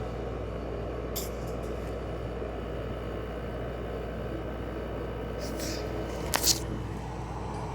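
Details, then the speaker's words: LG 6000 BTU window air conditioner with a GMCC rotary compressor, running a few minutes after start-up: a steady low compressor hum with refrigerant audibly flowing through the evaporator, which is icing up. Normal compressor operation. "You can hear the compressor a little bit better. You can hear the refrigerant rattling, flowing through the evaporator."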